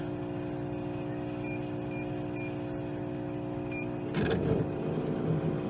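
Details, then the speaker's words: Roadside-salvaged microwave test-run with a quarter cup of water: steady rough droning hum with a harsh whirring edge; the fan is bad, though both units power up and transformers sound working. "This one's got a bad fan. They both power up and work, so that's a good sign."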